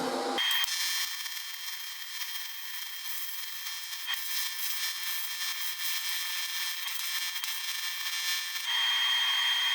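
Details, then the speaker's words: YesWelder CT2050 AC TIG on aluminum. Even high-pitched buzz with a steady hiss and no pops or sputtering: a smooth, normal arc. "i just can't get over how smooth the arc is on this"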